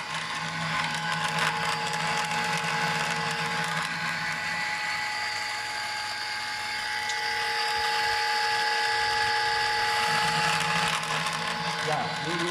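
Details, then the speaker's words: Lab pump cavitation rig, pump at high speed and flow (motor speed range 300–2500): high-pitched steady whine with a hissy crackling rattle like gravel in the pipe; pump cavitation, which stops when motor speed is reduced. "now you see the cavitation gap"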